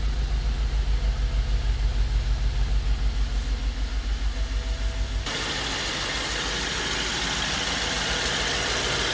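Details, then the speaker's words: 2009 BMW 750i with 167,000 miles idling roughly: an uneven, lumpy, pulsing beat, with warning lights on and the car shaking. Likely misfire; ignition coils and spark plugs are to be replaced. "okay guys this is bmw 750i 2009 and i'm having some issues with the engine it's running rough"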